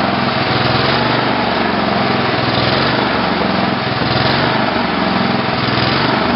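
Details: Tecumseh HH120 single-cylinder tractor engine on an engine simulator, final test run after fitting a GM LS2 ignition coil and a modified GM crankshaft sensor: steady, even drone with no misses, stumbles or knocks, holding a smooth speed; it runs normally.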